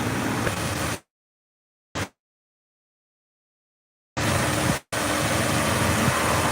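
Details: 2003 Jeep Wrangler 4.0L, recorded under the hood: steady, even idle under the AC fan's hum, with no knocks, ticks or misses; normal idle, engine sounds healthy.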